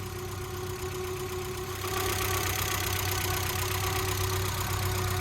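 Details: 1992 Mazda Miata (NA) engine, freshly rebuilt with new seals and fluids, warming up while the cooling system burps: smooth, steady idle settling slightly higher after two seconds, even beat, no ticking or knocking; normal idle.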